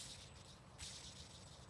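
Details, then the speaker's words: Worn A/C compressor belt tensioner pulley off an 80 Series Land Cruiser, spun by hand, giving a quiet, dry, gritty rasp of ball bearings instead of smooth rotation; initially mistaken for belt squeak. "pulley shouldn't sound like that you shouldn't hear the actual ball bearings rotating in the air should be nice and smooth"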